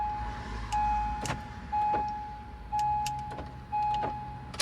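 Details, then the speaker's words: 2008-2012 Acura MDX after key fob replacement and programming with the ignition on/off and unlock sequence: sharp lock actuator clunks about once a second with short chimes as the doors unlock and lock; remote accepted. "Now look. You hear that? Unlocks. Locks. Perfect."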